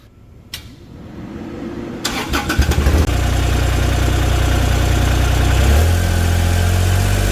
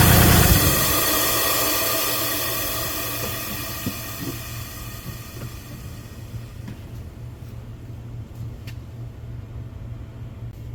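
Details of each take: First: Kubota RTV1140CPX, D1105 diesel, after replacing plugged muffler that caused low power and black smoke: brief cranking, fires at three seconds, steady even diesel beat, revs higher, smoke virtually gone; running normally. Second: Kubota RTV1140CPX with D1105 diesel, low power and black smoke, full throttle in neutral then shut off: exhaust gases keep hissing from the muffler for seconds after engine stops, with smoke; muffler suspected severely restricted.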